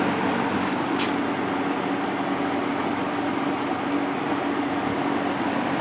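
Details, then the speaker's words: JCPenney 9711 Lakewood three-speed box fan, 3.1 amp General Electric motor, regularly oiled, just out of attic storage: soft steady whoosh with even hum, no rattles or ticks; running smoothly, described as very powerful. "this is a really powerful fan"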